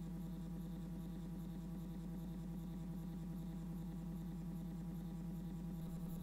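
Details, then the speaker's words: Stepper motor driven by an A4988 driver set to 16 microsteps (its maximum): a steady low hum with a fine, even flutter and no harsh buzz, about 45 dB. Smoother and quieter than before but still louder than TMC2208 drivers; normal operation. "so you can hear it's a lot smoother and quieter we're now getting a sound level of around 45 decibels but it's still way louder than the tmc2 eight drivers"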